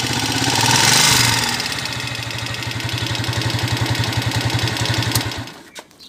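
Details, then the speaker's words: Honda TMX 155 single with a sidecar, brought for an overhaul because it is noisy: starts and idles loud and clattery, a mix of knocks on every beat. "ganun kaingay mga kabro. So halo-halo na yung ingay ng makina niya."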